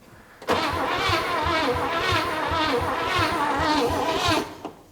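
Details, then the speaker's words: 1957 Chevy V8 likely off the road since 1979, carburetor vent tube filled with fuel: even cranking for about four seconds without catching; owner suspects spark lost again, unsure if it reaches the plugs. "right there hold on are we getting the spark I I think we've lost a spark again is it not popping I don't hear any here"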